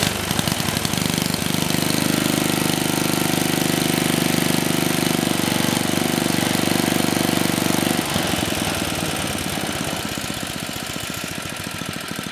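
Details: Troy-Bilt Tuffy tiller (model 12060), 34-year-old Tecumseh H30-35387Y single-cylinder, repaired after no compression, clone carburetor being tuned: fast even chatter settling lower after eight seconds; running fine.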